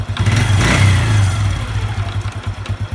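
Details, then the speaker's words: Honda Revo 110 (old Revo "jangkrik"): revved hard then released, an uneven knocking clatter thumps through as revs fall, intermittent; owner unsure whether clutch or loose primary. "kadang bunyi kadang ndak Ini apanya ini kalau es kopling apa laut primer yang kendor kita belum tahu ya"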